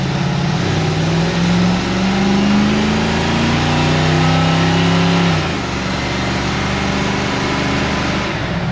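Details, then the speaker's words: 1966 Ford F100 with a 302 V8 and AOD, after TV cable adjustment and a swap from a 2-barrel to a 4-barrel Edelbrock carb: strong, clean V8 roar climbing under throttle, then easing off. Normal acceleration, much more power. "sounds like we're going so fast. Yeah. That's all it has to do. It just has to sound cool. It actually's got tons more get up than it did. A lot more power."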